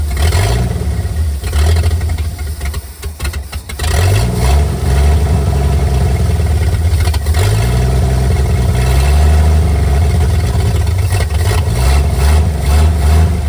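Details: 1959 GMC 100 truck revived after 30+ years in a field; choke found stuck partly closed and freed. Loud low engine won't hold steady idle, sags then surges unevenly; idle mixture screw found only half a turn out, carb to be cleaned.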